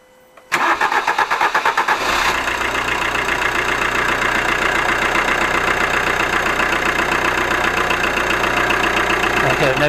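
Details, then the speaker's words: Alfa Romeo MiTo 1.3 JTDm diesel after replacing two leaking, stuck injectors with reconditioned ones and new seals, not yet coded: starts quickly, steady even idle with no knock, banging or misfire; healthy. "no banging sounds really good these new injectors because they've been rebuilt they've been re it coded"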